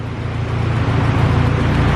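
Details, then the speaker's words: Honda Civic EG hatch, stock LS with VTEC head on non-VTEC bottom end, basic turbo manifold, chipped P28 ECU. It ran rich because the tune was set for a 4-bar MAP sensor; with the stock MAP setting it now idles with a smooth, even rumble and no misfire. "as you can hear now it's running good it's running how it's supposed to"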